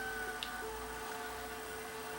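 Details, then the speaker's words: Panasonic Z-chassis VHS VCR playing a tape contaminated by sugar-like spill from another machine: thin steady screeching whine with faint ringing and a tick as the sticky residue drags and clogs the video heads. "horrible noise you were hearing right there is sugar or something that got onto the tape and I have now contaminated my heads"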